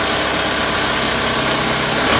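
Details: Isuzu Panther 2500cc diesel, never had an engine rebuild, after removing and refitting the timing gear and resetting: steady even idle clatter, no misses or knocks, idling smoothly and healthy.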